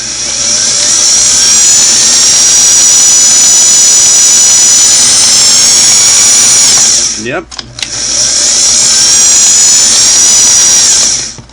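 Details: Singer model 413 vintage sewing machine motor after belt replacement and tension adjustment: a high, steady whir holds even pitch, stops briefly, then spins back up smoothly with no slipping or chatter; normal motor run.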